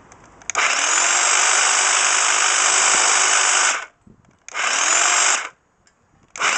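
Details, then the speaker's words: Class 2 double-insulated electric hedge trimmer after repairing its cut flex with a flex connector, tested on a table: it runs in three bursts with a steady high buzz winding up and down cleanly, with no rattle or grinding; healthy. "And here's the sound of the hedge trimmer."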